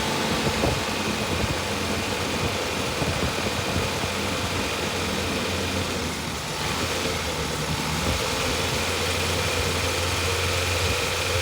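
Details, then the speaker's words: 1988 Suzuki Samurai after priming the fuel line: runs roughly, then chokes out and dies; a broken rubber line to the fuel filter is leaking fuel, and replacing it should fix it. "well it's running and there it choked out and died and we have a leak what's the leak you have these rubber lines t to solid lines for this filter and this one is broke right here but it should run and keep running once that is replaced"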